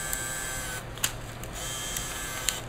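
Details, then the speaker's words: Zeltex ZX101C portable near-infrared octane analyzer, paper feed button pressed after loading a new printer paper roll; even feed-motor whir with light clicks as paper catches, normal paper feed. "put it down there press the paper feed and after a few tries it'll catch"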